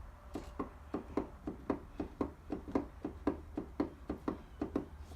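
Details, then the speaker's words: T-5 (World Class) manual transmission on the bench during rebuild, disassembled: countershaft rocked by hand gives about twenty sharp metal clacks in five seconds; excessive countershaft end play, out of spec, only fault found behind loud noise. "it's got what I would consider excessive in play on the counter shaft listen to this"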